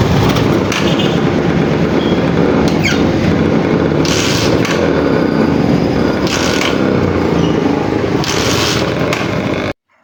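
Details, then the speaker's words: Motorcycle with primary-type stator and 4-pin CDI: repeated loud cranking bursts every couple of seconds that never fire into idle; hard starting, owner suspects a burnt primary coil, to be tested before CDI conversion. "yun na nga mga ka- boss amo Grabe po yung pagh starting ng motor na ' so Ayaw talaga niyang mag-start"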